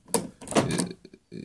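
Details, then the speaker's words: VW Polo Sedan door lock turned with the key, typically after a car wash: short, sharp, high squeaks between dry clicks and stiff turning; dry lock cylinder, fixed by injecting Castrol oil with a syringe. "обычно после мойки бывает вот так он и поворачивается плохо"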